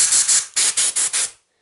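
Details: Repaired LPH-400 LVX spray gun that had been leaking air (contamination from the air supply): six crisp air bursts stopping cleanly at each trigger release, no hiss between; gun now sealing properly.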